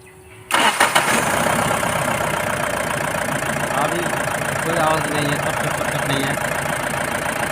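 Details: BS4 common-rail diesel that made a cut-cut-cut sound after starting; injectors found fine, rail pressure sensor fault (P171A, P1B87) was the cause. Here it catches after a short crank and settles into a steady, even idle with light clatter; sounds healthy.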